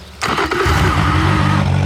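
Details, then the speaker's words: 2011 Yamaha T50 outboard after high-pressure fuel pump replacement: brief crank, engine catches while a low grinding drone lingers, starter appearing to stay engaged; owner says starter is getting stuck and plans to replace it, cause unconfirmed. "my starter's getting stuck now. That's the next thing I'm gonna have to change."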